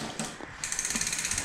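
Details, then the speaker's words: Hyper Explorer 29-inch full-suspension bike, rear wheel spun by hand: light rhythmic swish about twelve times a second as the rear disc rotor rubs, because the rear brake caliper is mounted tilted rather than straight and parallel. "so now we're going to do the rear brakes you might have noticed there's a bit of a rubbing sound when i spin the wheel"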